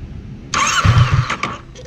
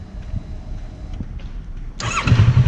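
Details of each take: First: Kawasaki Versys 650, warm engine, idle screw turned down too low: starter whirs under a second with a few weak, lumpy firings that never catch, then it floods. Hard hot start from idle set too low. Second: Kawasaki Versys 650 with idle set to factory-spec speed: hot start, engine catches immediately on a brief starter press and settles into a steady low idle without stumbling.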